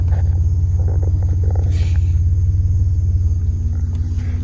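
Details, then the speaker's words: Chevy Blazer: low rhythmic throbbing, about three pulses a second, from the rear only while the brake pedal is held, stopping when released; cause unknown. "starts to make this fucking noise from back there. You hear it, right? And then I let go of the brake. And the fucking noise stops. I step on the brake. The noise is back."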